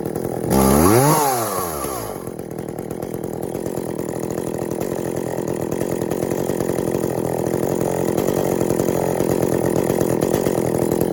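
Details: Echo CS400 chainsaw just after OEM oil pump replacement (old pump's plastic gears stripped): fires with a quick rev, then settles into a steady, even buzz; oiling well, carb tuned from boggy but could use more tuning (limiters still in); normal running.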